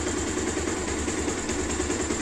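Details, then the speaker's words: 2016 Bajaj Pulsar 150 after repair, owner previously told of cam-side noise: steady, even single-cylinder idle with no ticking or chain rattle over the exhaust, holding constant revs and sounding healthy. "ரொம்ப அருமையா இருக்கு வண்டி சவுண்ட்ன்றது எதுவுமே இல்லை பிரளும் இல்லை"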